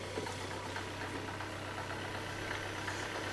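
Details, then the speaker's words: Citroen C5 after clutch replacement and gearbox refit, first start: steady idle hum with faint irregular high chirping tick from the side opposite the clutch; owner suspects a faulty idler or fan belt, not confirmed. "ooh what's that noise that doesn't sound good I hear a noise a hold on I hear a noise and it seems to be coming from this side not the clutch side"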